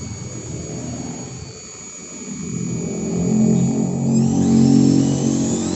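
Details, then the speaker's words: Maktec 10 mm electric drill at lowest speed after repair: smooth, steady motor whine rising in pitch, no growl; earlier growling and overheating fixed by adding body shim and tightening four middle screws. "Nah, di RPM rendah atau di speed yang paling lambat. Suaranya sekarang udah enggak terdengar ngorok seperti tadi ya, Guys."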